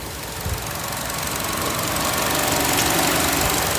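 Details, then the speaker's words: 2013 Chevy Cruze with MAP sensor and vacuum leak codes, at idle: fast light ticking, about four a second, that never stops as the valve constantly sucks air through the intake instead of staying closed; remedied with a new valve cover PCV system. "because it's constantly sucking air through the intake right here that's supposed to do that supposed to be in a closed position but it's not doing that"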